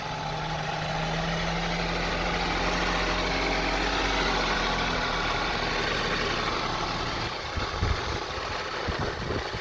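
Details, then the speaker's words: 2002 Honda CR-V 2.4 L with very rough idle: engine note keeps rising and sagging, RPM hunting fast and slow, nearly stalling; cause not yet pinned down (spark plugs, coils, purge solenoid, MAP sensor under test). "It has a very rough idling. The RPM goes up and down, and now we're gonna start it. You can listen and hear the sound of the engine."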